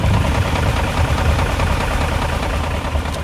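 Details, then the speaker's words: BMW 540i just started after battery replacement, unstarted one to two weeks: steady low idle with a dull diesel-like knock from the engine bay plus a whine/whoosh; owner has heard it could be timing, fan clutch, unconfirmed. "i don't know if y'all could hear like that knocking noise it kind of sounds like from the engine bay it makes it sound like a diesel in the way"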